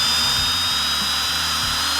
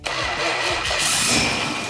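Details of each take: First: 1971 Cuda engine being oil-primed with a drill and pressure gauge: drill whines freely with rising pitch, not yet lugging down, as the oil pump hasn't caught prime and loaded up. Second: 1971 Plymouth Cuda revived after sitting, carbureted, with electric fuel pump left off and timing adjusted: cranks, catches quickly and settles into an even, steady run with no misses or knocks; healthy running after start.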